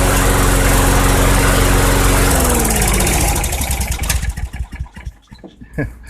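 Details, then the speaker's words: 2006 Craftsman 917.376160 push mower salvaged from a junk pile, carburetor suspected bad, fuel tank nearly dry, run on sprayed carb cleaner: small single cylinder fires and runs strong and even for a few seconds, then winds down; engine functional. "okay well the engine runs actually it sounds good I have no idea what it's running off of that tank was bone dry pretty much"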